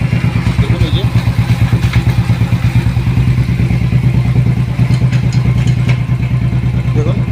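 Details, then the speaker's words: Royal Enfield Thunderbird 500 FI, which was stalling when put in gear under load, after sensor work and refilling filtered fuel: deep, even single-cylinder thump about three beats per second, holding steady in gear without stalling; healthy idle in gear. "গাড়ি start করে চলুন এবার গিয়ারটা ফেলবো দেখুন এই যে gear এক দুই তিন চার পাচ পাঁচটা গিয়ার আমি ফেলে দিয়েছি"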